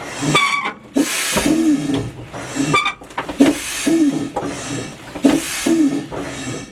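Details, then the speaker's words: M816 military 5-ton wrecker, engine running, air in system, brake pedal pushed to the floor: repeated sharp hissing bursts about every second with brief squeaks; air leaking from the air-over-hydraulic brake system, cause unknown. "okay so we're right to the floor and you can hear the air leaking"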